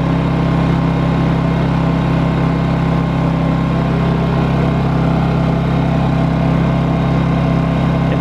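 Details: New Honda EU2200i Bluetooth inverter generator, very first start after a slow start-up: smooth, even low drone at steady speed with no misses, knocks or hunting; normal idle.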